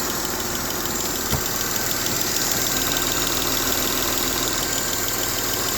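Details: M272 engine at idle: a steady idle with a light, quick tick of roughly three per second over the engine hum; a top-end ticking at idle.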